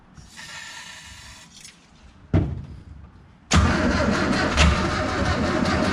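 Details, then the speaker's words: Morris J2 van parked in the desert since 1980, first start with rigged fuel feed and choke: rough attempts, then catches and runs with loud busy clatter; noisy running, water pouring from front, water pump suspected failed. "well the water pump must be had it because water was pouring out of the front of there and it is pretty noisy"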